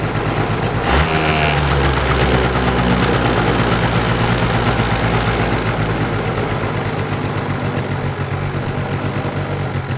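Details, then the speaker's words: Two-stroke scooter with a carburetor problem, choke just removed (it stalled at first): revs climb and come down slowly and unevenly, a high, smeared, hanging idle with no crispness. Lean mixture. "Такой прям подвисающие обороты. Они высокие и такие как будто смазанные. То есть нет четкости работы двигателя."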